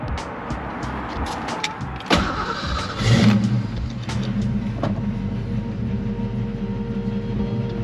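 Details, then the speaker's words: 1990 Ford Mustang 5.0 Fox body, sitting 12 years, radiator leaking: engine catches and settles into low idle wavering slightly, improving little by little; owner suspects fuel injection cleaner is helping; rough idle smoothing out. "well anyways guys it's done it's idling and the idle is improving little by little so maybe that fuel injection cleaner is doing its job"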